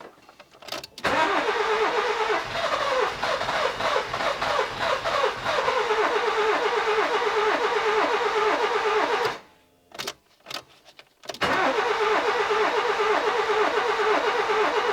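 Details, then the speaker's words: Nissan Micra K11 1.0L cranking but not starting; it fired once with spark tester fitted, then returned to no start: starter churns steadily in two long bursts with no firing; no spark, ignition module later found faulty and replaced. "Okay, we're back to no start. I'm going to check for spark again."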